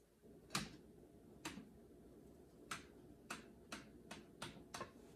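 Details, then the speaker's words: Aftermarket (non-OEM) stabilizer bar bushing going over parking-lot bumps: sharp dry clicks and crunches, about eight in five seconds, as the bar rotates in the bushing; returns within a week even after silicone grease, OEM bushing silent. "this aftermarket bushing goes over the bar and every time I go over a bump it's going to rotate and go quick quick crunch crunch crunch crunch crunch makes a lot of crunching noises so let's demonstrate listen for it"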